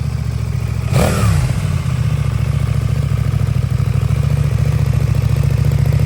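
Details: New 2024 CFMOTO 800NK (100 hp) with stock exhaust, first start from the crate: quick blip, then a deep, steady, even exhaust pulse at idle with no rattles or misses. Normal exhaust note.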